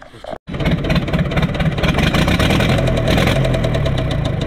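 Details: Universal 550 tractor diesel starts and idles with a deep knock about three times a second over the clatter; loosening injector pipes didn't change it, compression test or piston suspected.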